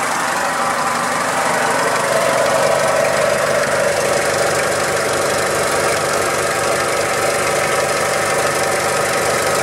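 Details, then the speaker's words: 2000 Toyota Hilux with 5L diesel, timing belt and water pump recently replaced, idling: rough rattly clatter in time with the engine plus a hissy whine; source unclear, possibly a bearing. "it does seem in time with the engine you can almost hear like a rattly bearing noise and then there's also sort of a wizzy kind of a noise it doesn't sound correct either"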